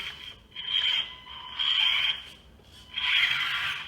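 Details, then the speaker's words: SCX24 Jeep JLU crawler with new Full Send +6mm front axles, bench test: three short bursts of high, even motor whine with light gear hiss, no clicks or catches; axles turn smoothly without binding. "that all seems pretty smooth to me."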